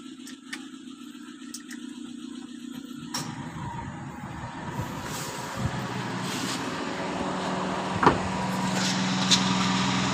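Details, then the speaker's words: Chevrolet Spark after electronic throttle body service and idle reset: small engine idles evenly, then takes the A/C load about three seconds in without dipping or hunting; idle speed now correct. "ഇപ്പൊ AC on ആണ് ഇപ്പോഴും correct ആയിട്ട് നിൽക്കുന്നുണ്ട് വണ്ടിക്ക് വേറെ പ്രശ്നങ്ങളോ കാര്യങ്ങളോ ഒന്നുമില്ല"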